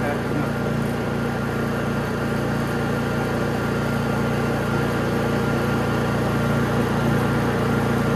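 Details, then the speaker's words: Honda EU3000is inverter generator with a Nashfuel propane/LP conversion kit installed, running on propane: steady, even hum with no surging or misses; it idles cleanly on propane. "Propane / LP conversion kit installed"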